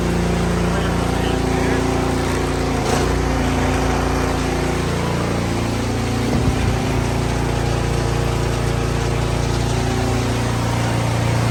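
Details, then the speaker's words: Cub Cadet 26-inch three-stage snow blower, auger drive after repairing a chewed-up part that caused a racket like a bad flange bearing: even engine drone and a smooth drive with no grinding; normal auger drive running. "and it operates just as it should"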